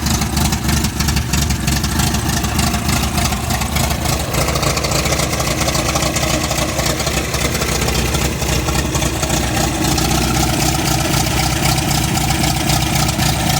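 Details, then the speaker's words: MGB, warm after highway drive where it lost power above 3000 rpm and near 50 mph: idles unevenly, lumpy and surging, only staying running with choke applied despite being warm. "i'm not happy i don't know why i need choke to keep this running listen to it it sounds like it sounds horrible"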